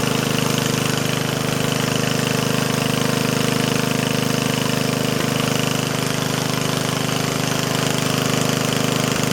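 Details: Old Yardman Snowbird snowblower small engine running at constant speed with a steady, even chug and no misses or knocks; it sounds excellent and barely smokes, running normally.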